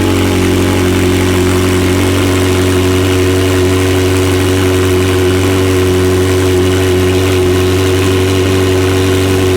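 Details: McLaren 720S engine after repair of Time Attack oil-overheating failure, idling after cold start: smooth steady idle, constant low hum, no knocks, ticks or speed hunting; stable oil pressure at idle; normal idle.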